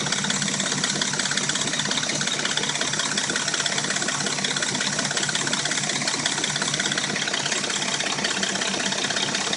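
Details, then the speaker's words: Dodge Intrepid at warm idle: a fast, fairly regular light top-end rattle, almost three a second; the rattle and a knock occur only when warm and it sounds new when cold; timing chain suspected, not confirmed. "it only makes a rattle when it's warm. Same with the knock. When it's cold, it sounds like a brand new engine."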